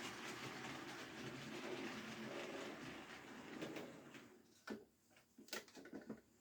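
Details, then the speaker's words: Hornby model Ruston locomotive on maintenance-day test after about four laps: light even motor hum with soft rail clatter for about four seconds, then stops; runs fine; normal model locomotive running. "yeah, that all seems fine. Yeah, again, like I said, it doesn't matter what happens with the train. It's the loco that we want to look at."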